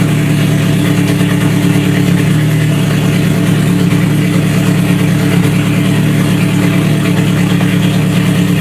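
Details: Scion FR-S with a freshly rebuilt 3SGE engine swap, after its first start: loud, steady petrol idle with an even low hum and no knocking or stumbling; the engine runs smoothly.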